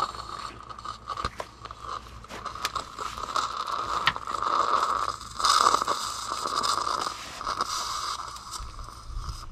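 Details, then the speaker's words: Homeline AC breaker opened on a shorted solar array carrying about 10 amps: crackling, sizzling hiss with steady buzzing whine as a DC arc keeps burning inside the breaker, which catches fire. "now we're going to let this burn for the name of science but you can kind of see where if that was in your house things would be going sideways really quick"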